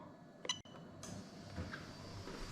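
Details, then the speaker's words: 1UZ-FE VVT-i harness adapted plug-and-play into IS200 with J160 manual gearbox, fuel pump test activated: one sharp relay click then faint steady hum of fuel pump running; normal fuel pump relay click. "when i click this button you're going to hear the relay click on"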